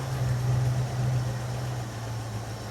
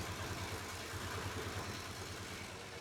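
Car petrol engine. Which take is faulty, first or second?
second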